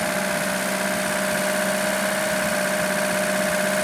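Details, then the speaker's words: Lada Niva engine after fixing an idle problem traced to the carburettor idle solenoid: steady, even idle with a constant hum, no stumbles, surges or knocks; now starts and runs smoothly. "Теперь работает ровно. Чёрт возьми, всё время была такая маленькая проблема. И теперь так хорошо заводится и так хорошо работает."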